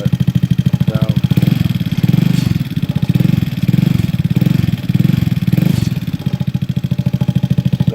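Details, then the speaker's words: 2004 Yerf-Dog GX150 go-kart after valve lash adjustment and carb needle tweaking: rapid firing at mid revs swelling and sagging every second or so, slight tap; engine breaking up at mid RPM, cause unconfirmed. "Now you can hear her run. Like I said, she's got a little tap. She's not running too bad. She's still breaking up a little bit on mid RPM."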